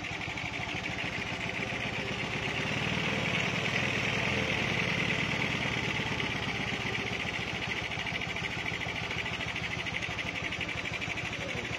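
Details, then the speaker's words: Honda Beat carburetted motorcycle with standard engine, fitted with a PE24 carburettor, idling during setup after jet needle change; uneven, slightly lumpy idle with soft burble and hissy intake, typical rich-running (boros) sound, carb still needs adjustment. "Nah jadi bisa dilihat ya bisa didengarkan juga untuk suara keborosan Biasanya seperti ini suaranya ya"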